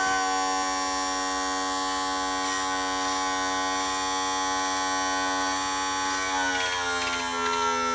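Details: 1986 35 hp Mercury outboard tilt/trim motor after cleaning stuck, dirty brushes and bleeding the system: steady electric hum dropping slightly in pitch near the end as it takes load; trim motor now running normally.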